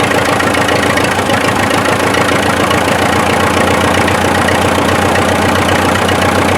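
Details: 1955 Farmall 400 diesel tractor, first start in daylight after revival (water drained from rear end and oil pan, gear chunks found in pan, new line fitted): even, loping idle chuff, no knocks, misses or hunting; runs smoothly.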